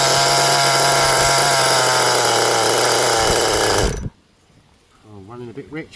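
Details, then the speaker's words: Vintage HPI Nitro Rush Evo RC nitro engine, first start in about 20 years with new glow plug and fresh fuel, possibly flooded: a high buzzy scream holds about four seconds then cuts out abruptly; sounds rich, cause suspected, not confirmed. "a bit rich by the sound of things."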